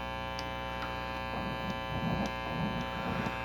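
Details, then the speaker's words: Late-1970s Fender Pro Reverb, normal-channel bass control turned: steady mains hum with scratchy crackling bursts as the knob turns; dirty pot needing cleaning. "that switch is a little dirty master volume putts a bit dirty but if you run the master wide up and then it acts like every other amp without a master"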